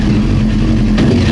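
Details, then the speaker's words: Old Honda CBR900 Fireblade, tank and airbox refitted, test start for the customer's reported backfiring: holds a smooth, steady rev with no pops or bangs, running clean; no cylinder dead, so not flooding. "So let's see if it'll start and run as a normal, you know, one of these bikes would start up."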